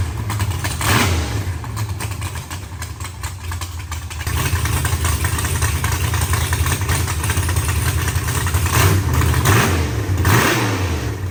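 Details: Freshly built carbureted V8 race car first start before dyno: deep, lumpy loping idle with a few revs, no knocks or misfires; fairly decent idle that still needs tuning.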